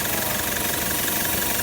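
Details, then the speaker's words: Toyota Land Cruiser 120 Prado diesel with a new replacement engine, idling after first start: even, steady clatter, no knocks, hunting or misfires; runs beautifully, normal idle. "quick five minute road test it's bloody beautiful"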